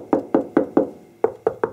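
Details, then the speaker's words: 1973 Porsche 914 with bondo spots, hand tapping the fender: seven sharp, bright knocks ringing clean and solid; some filler may be there but the fender sounds solid metal. "but you can see it this fender it sounds like there's some in there that sounds pretty solid"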